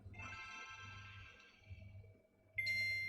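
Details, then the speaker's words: Nintendo Game Boy Advance that wouldn't boot, re-tested after board-level repair replacing damaged SMD diodes and capacitors: faint hum, then a clean bright high startup ping; console powers up and boots normally. "did you hear it it made a ping switch off it made a ping"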